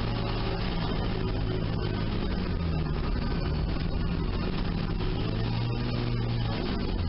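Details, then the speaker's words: Sunbeam Alpine after valve lash adjustment (cold .015 in intake/.017 in exhaust, then hot .010 in/.012 in) and re-torqued head, in neutral: steady low idle with even firing, no valvetrain ticking; smooth, healthy idle. "all right mission on neutral that sounds real nice"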